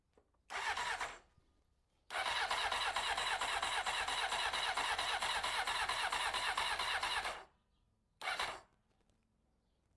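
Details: 1993 Honda CBR900RR, first start attempt after spark restored: three bursts of fast, even starter cranking that never catch or fire; fuel pump not delivering fuel to the carbs.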